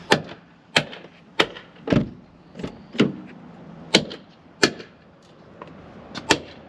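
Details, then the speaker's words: 2014 Toyota Camry driver's door, about 10 years on the road, swung open and closed: loud creaking, clicking and popping from the door check strap, whose two mounting bolts on the door side have come loose. "sometimes they just come loose yep it looks like this one is loose on the side of the door these two bolts have just come loose over time"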